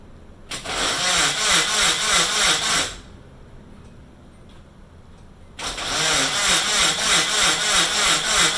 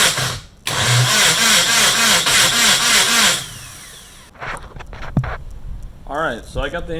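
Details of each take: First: Rebuilt Nissan KA24DET engine on first start attempt, with a missing fuel pump fuse: two cranking bursts of about two and four seconds, even whirring at roughly three beats a second, never catching. Crank, no start, no fuel pump power. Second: Nissan KA24DET engine build cranked on the starter with fuel pump and ignition disconnected, turbo oil line disconnected, to build oil pressure; even cranking about three to four compression pulses a second, no firing, priming oil.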